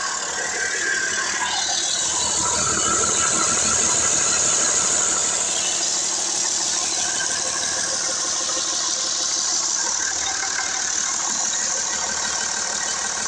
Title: Engine startup after OverHauling Cummins 6CTA Diesel Engine.